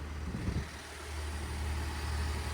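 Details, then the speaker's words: Flood-damaged Cadillac SRX with 27k miles, bought at auction, at cold idle after first start: steady, even low rumble with no knocks, ticks or misses; sounds healthy. "sounds phenomenal"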